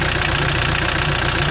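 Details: Mitsubishi L200 Sport GL diesel at idle: rough, rapid knocking under a heavy chuffing rattle, much oil spraying out after 40 seconds of running; worn-out engine with heavy blow-by.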